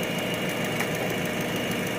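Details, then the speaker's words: Toyota Vios idling with faint irregular stumbles in a steady hum, a subtle misfire; ABS warning light also on from a faulty right wheel speed sensor. "So palyado siya mga katamba no palyado ang andar nito hindi masyadong halata pero palyado yan"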